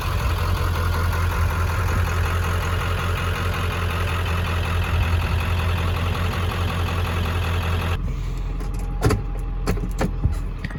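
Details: 1995 Ford 7.3 Powerstroke diesel, recommissioned after sitting about ten years: steady, even diesel clatter with a deep, smooth idle for about eight seconds and no misses or knocks. Healthy idle.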